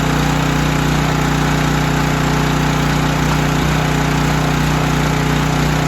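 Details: Storm generator after carburetor repair and cleaning, final start test before draining the carburetor bowl for return to the customer: small single engine holding a steady even drone, no hunting, surging or knocking; running normally.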